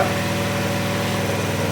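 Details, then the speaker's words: Vintage Honda EG1400Z generator, auction find that would not run, after troubleshooting: fires right up and purrs along with a steady, even engine note, no knocks, misses or surging; running smoothly, power output not yet tested. "how cool is that holy crap that's hilarious that thing fired right up didn't even worry about it just sitting here purring along"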